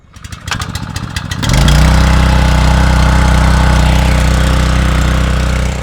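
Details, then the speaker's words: 7HP Duramax gasoline water pump draining a pond: quick rattling pull, catches on first pull with one choke then unchoked, settles into steady even chugging run; normal pull start. "First pull, 1 choke, unchoked it. You hear it running. She's pumping away."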